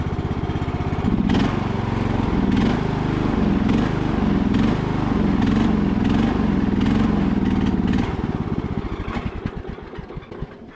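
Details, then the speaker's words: Revived MTD Bolens riding mower with blades engaged: engine pulls steadily, then the beat slows, weakens and dies over a few seconds; it stalled from fuel starvation because the fuel valve had been left turned off. "I guess we didn't have enough gas I say we did have enough gas but uh when you turn the fuel valve off it doesn't work"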